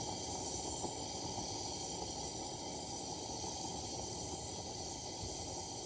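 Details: Vintage Coleman lantern being repaired/restored (1952 252 or 1950 242C), gas leak fixed, fitted with a junky size 21 mantle (owner thinks an 11 was needed); steady loud fuel hiss with uneven fluttering roar as the mantle keeps fireballing instead of burning clean.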